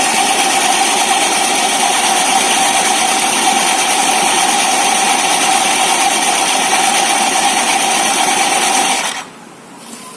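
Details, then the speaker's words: Honda Vario 150 FI scooter, fairly new, CVT opened, idling: harsh rough whirring from the CVT; rear clutch checked normal; noise traced to a hardened, dirty drive belt, worth checking for wear or replacement. "bagi Anda yang mungkin memiliki Vario atau Beat, jika sering mengeluarkan suara kasar seperti ini, jangan panik, periksa dulu karet sabuk kipasnya. Periksa apakah sudah aus atau sudah waktunya diganti."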